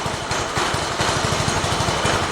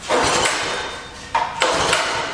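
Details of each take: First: Mini bike single-cylinder engine, first start of the day, throttle hopping from a suspected loose or missing bolt; starts easily and runs with quick, regular firing and no misses or stumbles. Normal running. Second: Shop mini bike, started after the chain was loosened slightly: small single revs in bursts settling to a fast idle while the bike wants to move off, the drive engaging at idle; dragging clutch suspected.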